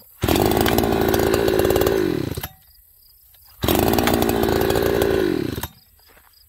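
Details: Farmertec 288XP kit chainsaw after leaking decomp replaced with plug and fuel line problem found, running with no top cover: two crisp rev-ups of about two seconds that drop back cleanly, picks up without bogging; normal running.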